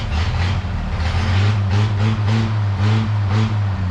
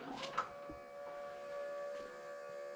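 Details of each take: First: 1932 Chevy truck "Rockabilly Rat" after a tune-up, running like it used to: after some early noise a steady, even low note settles in with no misses or stumbles; normal running. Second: 1932 Chevy that ran out of gas and won't start after refueling: with the key on, the electric fuel pump hums thinly and steadily but never primes or picks up fuel. Owner suspects the fuel pump or a plugged filter.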